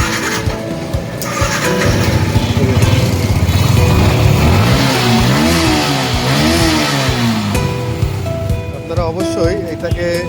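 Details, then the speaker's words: Yamaha R15 V2 (old model) that wouldn't start, with no power to the injector or fuel gauge: after bypassing the up/bank-angle sensor with a resistor and the yellow warning clearing, the single fires cleanly and revs up and down without stumbling. Runs normally. "আরওফ যদি ওর মডেলের সমস্যা হয় তবে আপনারা এইভাবে resistance ব্যবহার করে গাড়িটাকে বাইপাস লাইন করে গাড়িটাকে স্টার্ট করতে পারবেন।"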